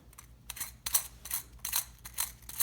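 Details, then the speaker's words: Worn, dry clutch throwout bearing from a 1938 Plymouth P6, transmission removed, spun by hand in the clutch housing: a dry, gritty rasp in repeated bursts; at idle (1,000 rpm) it would spin about 500 rpm and buzz loudly. "It was dry and sounding, and listen to"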